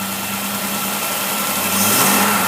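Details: Running engine test of a Holley-made Motorcraft 50262 600 CFM carburetor with electric choke and external fuel adjustments, idle set about 800 rpm, air-fuel gauge reading 12: smooth, even note climbing as throttle opens, no misses or knocks; healthy.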